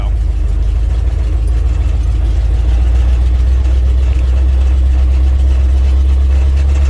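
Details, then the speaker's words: 1967 International 1200 truck driving slowly after carburetor rebuild: deep steady even rumble, no knocks or misses, running like a sewing machine. "things just running like a sewing machine since that carvery but rebuild"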